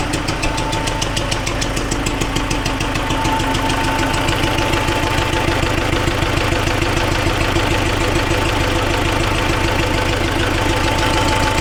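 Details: Soviet T-40AM diesel tractor, started at about -14 °C after sitting about a month: steady, fairly even knock about three per second over the idle; source unknown, heads to be pulled to inspect.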